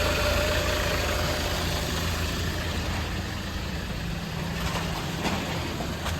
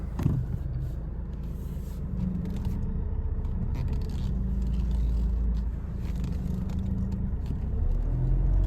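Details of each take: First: Alfa Romeo 159, which also puffs white smoke under boost: a thin steady power steering whine over a rough petrol idle; owner suspects air in the system or a failing pump. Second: Alfa Romeo 159 at idle while the power steering is bled, turning the wheel side to side to purge air. Only a faint, steady low hum; it sounds much better than before, and the owner may flush it once more.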